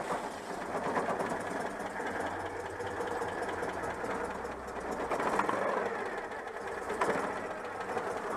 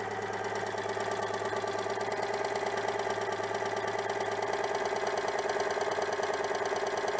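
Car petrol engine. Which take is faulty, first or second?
first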